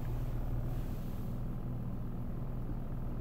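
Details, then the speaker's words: 2015 Honda CR-V idling in Drive with brake held, accessories off, rpm dropping to about 600: low heavy boom with uneven throb; vibration stops in neutral as rpm rises, service bulletin 15-046 issue. "yeah so when we with some neutral pink stuff a little bit we've got no more vibration but on driving in gear that's the problem"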